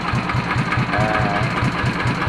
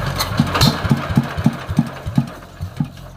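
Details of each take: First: Yanmar TF115 LM single-cylinder diesel after repair for hard cold starting (injection pump plunger replaced, inner bearing not done): steady even idle thump with no knocks or misses, idles normally. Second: Yanmar TF115 LM single-cylinder diesel, owner reports hard starting when cold: slow labouring chuffs about three a second before it barely catches to a weak, uneven idle; very hard to start, mechanic plans to check injection pump plunger, injector and delivery valve.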